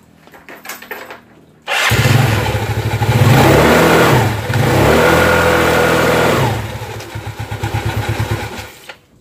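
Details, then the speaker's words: Automatic scooter CVT stall test, engine running with rear brake held and throttle opened: revs climb and hold firm with no sagging or slipping whir; CVT gripping normally. "seperti itu jika kita pencet rem belakang Lalu kita tarik gas hidupkan panbelnya itu oh seharusnya itu makin kencang ya"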